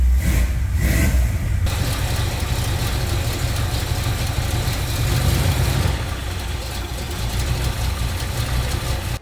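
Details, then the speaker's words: Ford F100 V8 after carburetor refit, new vacuum port plugs and power steering hose clamp replaced: even, steady idle with smooth low rumble, no miss or stumble; runs much better and idles smoother. "oh that sounds so much better and it already idle smoother"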